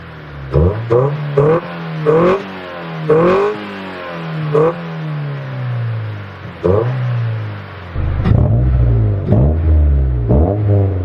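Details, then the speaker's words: Honda Del Sol single-overhead-cam VTEC with a newly installed carbon fibre intake, recorded near the intake; crisp blips rise quickly and fall back cleanly to a steady idle with a throaty intake note, healthy revving. "the intake sounds really good that's for the exhaust it's a nice tone like it's not like a rice burner you know your typical Civic rice burner type of sound"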